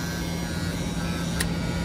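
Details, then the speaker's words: Goodman package unit, heat running at 44 A on 10 kW strips: steady coarse electrical buzz over the unit hum from an old pulled-in heat-strip contactor, not the new one; it needs replacing. "okay i thought it was my new contactor but it's not it's that old one that's making that noise so that contactor needs to be replaced too"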